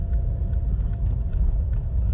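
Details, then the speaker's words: Car under full throttle up a hill, foot to the floor but barely moving and losing power intermittently; heavy engine drone with sharp stutters roughly twice a second, a one-cylinder misfire from a failed ignition coil pack. "I'm coming up a hill and come on I mean I am balls out like foot to the floor balls out and it's just not going anywhere"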